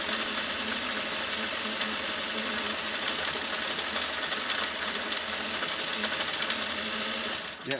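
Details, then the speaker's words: Sewing machine in for motor and gear work, running fast: even busy clatter with a loose rattle on top from one side of the machine; something is loose, not yet found. "something's loose over here i don't know if you can i can hear it because i'm like right by the workbench but if you can't hear that something stuff something is definitely loose over here"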